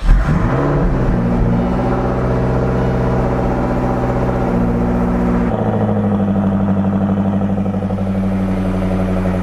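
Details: 1999 Lotus Esprit V8 idling lumpy and uneven, misfiring on two cylinders with no spark; runs on six cylinders during coil-swap testing; fault traced to ECU coil outputs, repaired at the ECU.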